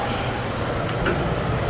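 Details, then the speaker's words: Furnace blower motor after fixing a loud squeal with lubricant: steady, even hum with no squeal or scraping, blower spinning freely; normal quiet running after repair. "all right you see that's going really nice right now no noise"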